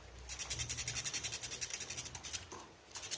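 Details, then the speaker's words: Fan with the rotor locked when turned by hand, not the capacitor: a dry rhythmic scratching three or four times a second as it turns, the rotor touching the stator; worn, grooved bushing that has eaten the shaft. "Então, a maioria das vezes quando acontece isso é bucha ou eixo, né? Esse aqui é o eixo e a bucha, né? Comeu a bucha veio e comeu o eixo."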